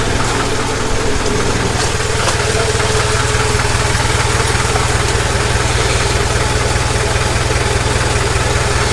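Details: Jeep after off-season work: even, regular low idle beat about two and a half pulses a second, no knock or stumble; owner says she's happy.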